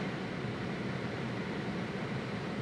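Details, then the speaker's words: Honda with the AC at full blast on recirculation, recorded with a GoPro in the cabin: constant heavy rushing air over a low hum. The blower runs flat out and loud, and the owner says Honda AC has never been good and wasn't keeping up. "it's quite loud. I'm sure you can hear that. Whether it sound like wind noise, I'm not sure how the GoPro is going to pick it up, but you can hear it."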